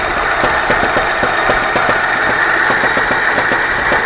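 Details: 24D engine at idle: sharp regular knock, roughly four a second, over steady engine hum; knock of unknown origin.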